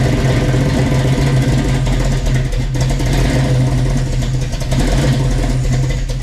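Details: 1967 Chevy Nova with a freshly swapped 350 V8 (Blueprint Engines heads, Offenhauser Port-O-Sonic intake, Trick Flow cam), heard from the exhaust: deep, steady lumpy idle burble, even firing with mild cam lope; running cleanly.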